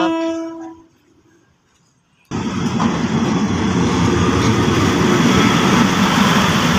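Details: Train 4326 departing Mahachai station, railcar NKF1255: clear, full, steady horn blast cutting off cleanly, then engine and wheels pulling away; horn back to normal.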